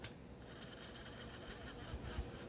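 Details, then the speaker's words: Vintage socket fan humming with a light dry ticking chatter, about ten a second; its motor has dry bearings, to be oiled with light sewing machine oil. "i thought i heard yeah i think i think this one's got dry bearings"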